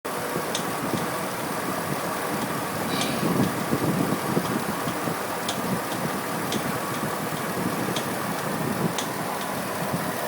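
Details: Pontiac G8 V8 idling after swapping OEM harmonic balancer for an ATI Super Damper: steady idle with a light sharp tick about every second; owner suspects a pulley now under added tension failing, unconfirmed.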